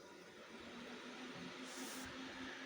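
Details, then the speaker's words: Anan 200D case with cooling mods: 3000 RPM fan plus top 120 mm fans on speed controller at full speed; loud even airy rush, faint steady tone, no ticking or grinding; healthy, case stays stone cold. "So that's the 3000 RPM fan running in there. Then what I got is the 120 millimeter fans. So I'll light these up."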